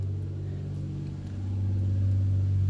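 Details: Toyota Supra 2JZ six-cylinder after coolant flush, warming up with heater on full, AFRs good: deep, steady, loud rumble swelling slightly as it warms, no ticking or misfire. Small leak suspected at back-of-block hose. Normal idle.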